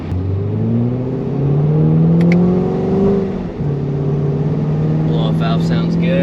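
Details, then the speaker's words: C7 Corvette Grand Sport LT1 with 650 hp supercharger package, factory tires, manual mode from a 2nd-gear roll: strong engine note climbing smoothly with a whoosh at each shift; sounds good, shifts great. "It sounds good. Shifts great too."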